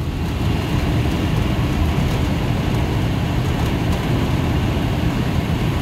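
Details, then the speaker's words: Cambridge make-up air unit with direct fired gas burner, previously locked out on airflow from a misadjusted screw-type damper actuator; after actuator adjustment, set to 160° supply and modulating, it gives a steady deep even roar of burner and fan, running normally. "I think the only problem was that damper being jacked up and I don't know how it got that way this thing sounds good now"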